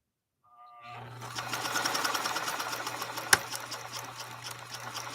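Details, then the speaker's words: Pfaff 230 sewing machine, ebony, repaired after arriving crippled, sewing a decorative stitch pattern slowed way down. Slow, smooth whir with soft, even needle ticks and no grinding or binding; motor power stays controllable at low speed. "I'm going to try to really slow her way down so you can watch that you are able to harness the power on this machine as well"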